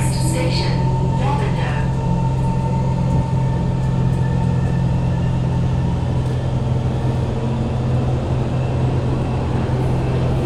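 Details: Kawasaki Heavy Industries C151 trainset 067/068, East-West Line, recorded in carriage 1068 at door A4/B4 (No. 2 end): heavy steady low hum and airy rush from unusually loud air-conditioning and ventilation, especially when decelerating into stations, at times subsiding only at full stop.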